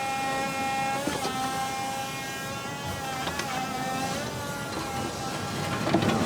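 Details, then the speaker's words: JCB 19C-1E 1.9-ton all-electric mini excavator, battery powered, running quiet: steady electric motor whirr with soft hydraulic fluid hiss, no engine rumble; normal operation. "It's really quiet. All you hear is the electric whirring of motors and some hydraulic fluid moving around."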